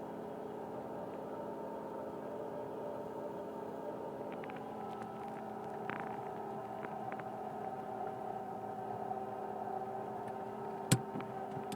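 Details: 1999 Mitsubishi Pajero iO petrol engine running: steady whining, howling tone over the idle, present from start to shutoff, worse when warm and while driving. Mechanics variously blamed alternator bearings, A/C pump or water pump. Engine bay whine.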